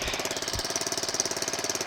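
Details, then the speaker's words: Small scooter engine (homebuilt reverse trike) idling just after muffler welded back on, burning off degreaser: steady putter about thirteen even pulses a second, no knocks or rattles, sounds much better; normal idle. "I don't know if y'all can tell a difference on camera that sounds a whole lot better just need to let it sit here and run for a minute"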